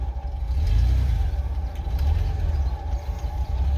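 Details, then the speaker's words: 1989 Ford F-150, 300 inline six, 4-speed manual, 4WD, first drive after sitting 8–9 years, pulling away under light load: deep uneven rumble that surges and dips, no power steering, maybe sticky bearings; rough running, cause unclear. "She ain't exactly smooth, but oh boy, I don't believe we have any power steering."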